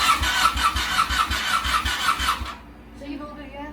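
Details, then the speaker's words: Rebuilt Ducati 899 Panigale, fuel-injected, first start after the rebuild: a short churning crank, then the twin catches into a very loud, lumpy idle and keeps running; normal engine start. "oh my that is the loudest thing i have ever heard"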